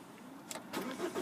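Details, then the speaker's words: Manual diesel Ford Focus Ghia, 133,540 miles, keyless start with clutch down: short crank, fires first time and climbs to a smooth idle, no dash warnings; clean, healthy start. "Starts first time with no issues at all there."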